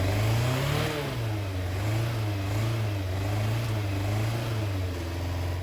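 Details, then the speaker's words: FZR1000 motorcycle, about 25 years old, first start in six years after carb cleaning: engine revs up from idle with a little throttle and settles back evenly, no misses or stumbles; revs cleanly and smoothly. "once i was happy i gave it a little throttle and it revved up nice and smoothly"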